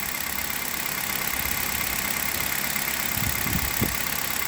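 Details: Hyundai Solaris idling hot on Liqui Moly Molygen 5W30 after about 2000 km on this oil, 29,313 km mileage, with replaced coil wiring harness: even, quiet idle with smooth hiss-like ticking, no knock; normal idle.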